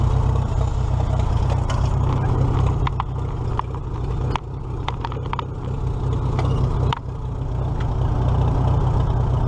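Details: Old four-cylinder tractor (the H) after alternator repair (loosened nut fixed), reconnected plugs, driven for a ride before the 2017 Nowthen Threshing Show; deep even thump, no knocks or misses – normal running.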